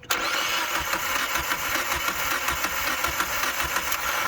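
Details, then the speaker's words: Mazda Miata MX-5 daily driver that broke down on the road: fast, uneven starter cranking with no sign of firing; no fuel at the fuel line, so the fuel pump is not running or delivering fuel, causing a crank no-start. "no fuel so it's the fuel pump that's okay that's not that hard"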